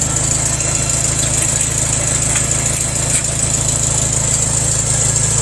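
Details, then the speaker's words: John Deere 140 tractor first start after fitting a new John Deere starter solenoid (previous solenoids failed): strong crank with throttle fully up, then an even, steady idle with smooth low pulse, no misses or knocks; normal idle. "that was a strong crank that throttle was all the way up yeah all right look at her turn like a kitten now"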